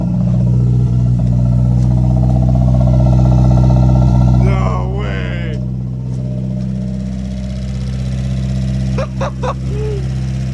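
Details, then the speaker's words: Nissan 240 with a fresh SR20 swap and a very dead battery, jumped: the fuel pump is heard priming, then it starts right up into a smooth, even idle with no knocks or misses. A big fuel leak was later found at the fuel filter. "i hear that fuel pump let's prime that a couple times and no way started right up"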